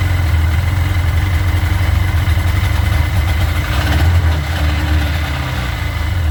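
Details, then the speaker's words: Sea-Doo 951 DI two-stroke after custom rebuild, fuel/air pressure test: deep drone sags and surges instead of holding steady; pressure falls off, reaching 110 against 107 expected; owner suspects the air injection system, unstable running from low air pressure. "so the pressure is falling off it's revving up probably because the rpms are dropping and the pressure's going up to 110 [Music] which is good because we're looking for 107. so that looks about right but it should not fall off clearly there's a problem"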